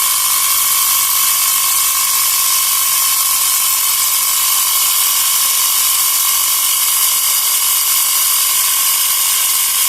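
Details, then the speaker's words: Portable 12 V cigarette-lighter tyre pump (small piston compressor) inflating a flat tyre that is starting to firm up; fast, even high-pitched chatter steady under load, no stumbling or squeal — normal running. "เออยางเริ่มแข็งนะเริ่มแข็งนะครับเฮ้ใช้ได้นะเนี่ยนะครับ"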